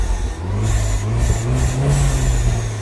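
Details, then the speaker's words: 2009 Mini Cooper S R56 1.6 turbo petrol with high-pressure fuel faults, error 2880 and rough running: engine now picks up cleanly on each throttle blip and settles back without stumbling, responding fine. "so the chorus is Hidemi fine is responding okay to the accelerator"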